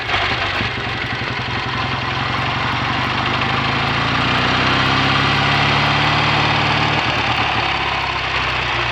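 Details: BSA A65 Thunderbolt after the spark plug gaps were closed to cure an occasional Boyer ignition misfire under load, with new plugs, resistor caps and battery: steady, even twin-cylinder idle with no stumbles; normal idle.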